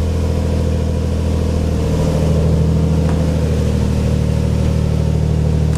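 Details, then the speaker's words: Built twin-turbo Infiniti G35 (Greddy 18G turbos), just fitted with a fuel pump relay for a Walbro 485 pump, just started. Steady, even idle with a smooth low hum and no knocks, misses or stumbles; runs cleanly. "yes dude oh my god that's so sick first try bro it never goes as planned"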